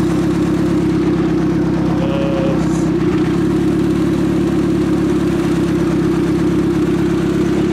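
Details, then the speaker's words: 1995 Acura Integra, turbo kit, pistons, rods and aftermarket cams, in neutral after a valve lash adjustment to cure a non-firing cylinder; even, steady idle with no stumble or skipped beats, misfire fixed, engine started on a hot day with no coolant in the radiator. "okay neutral there we go that sounds so much better"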